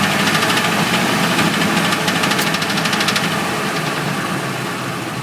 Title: F150 knocking noise